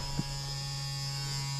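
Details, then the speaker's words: Key reminder buzzer on an old car just pulled from the crusher, tested after a horn button fault: steady, even buzz holding one pitch without breaking up; buzzer working normally. "okay let's see what we got the buzzer still works that's awesome"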